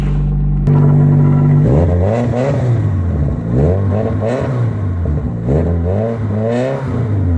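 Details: Infiniti 4-cylinder with its rusted-off muffler, odometer reading 82,000 miles (owner says it's inaccurate), no coolant and a failing alternator: even, deep idle, then repeated loud raspy throttle blips; engine runs smoothly, exhaust open without muffler.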